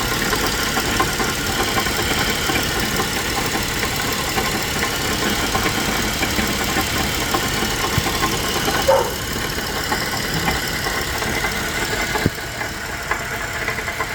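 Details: GMC Acadia, petrol engine idling: a fast, steady knocking that appeared suddenly after the vehicle had been driving fine earlier that day. The owner wonders whether the catalytic converter internals broke apart; it is unconfirmed and still being diagnosed.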